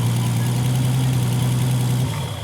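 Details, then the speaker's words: Turbocharged Golf idling after start; steady low even hum, starts well, then shut off because the radiator is completely empty of coolant and the dash warning light was on. "Oh putain, ça démarre bien quand même pour une voiture en panne. Elle est neuf. Ah non, il n'y a plus d'eau."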